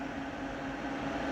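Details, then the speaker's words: Onkyo M5060R/P3060R amplifier, two added computer-size fans beside the transformer on automatic control, switching on about 8.5 minutes after power-up from room temperature: soft steady airflow whoosh, faint hum, no ticking; normal fan operation. "Oh, that's the automatic fan controls. And there's two huge fans at the back. The computer-sized fans. You may be able to hear them running."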